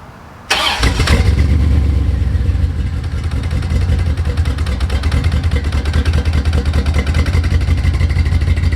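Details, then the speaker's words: C4 Corvette V8 on its first start in 12+ years, with a new Bosch OE fuel pump. It cranks, catches quickly and stays running, then settles to an uneven, lumpy, stumbling idle. A little gas to raise rpm suggests a misfire, probably one cylinder. "she's running pretty smooth it does seem like it's got a misfire and probably a one cylinder or something"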